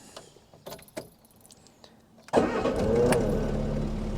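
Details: 1980 Mk1 Ford Fiesta 1.1L under restoration, restarted after adding coolant: brief handling sounds, then the engine catches instantly on the first try and settles into a steady, even idle. Clean, healthy start.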